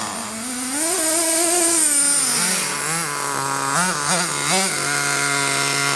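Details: Hyper 7 nitro RC car after clutch shoe replacement (was revving too high before engagement): high-pitched small nitro engine buzzing, tone sweeping up and down with quick throttle blips.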